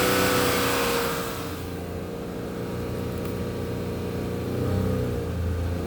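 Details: 2006 Honda Accord V6 driving: steady low hum with faint higher tones under the engine, heard for 20K miles, louder since replacing engine mounts; cause unknown.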